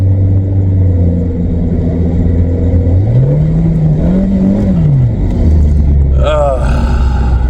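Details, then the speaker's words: 1997 VW Vento (Mk3 Jetta) automatic, on a road test after fluid and filter service (filter had fallen off in the pan): revs climb and hang before third engages, then over-rev again trying fourth; upshift flare, cause unconfirmed. "That was third gear over revving. It over revved and then clicked into third, but just tried to go into fourth and it's over revving now."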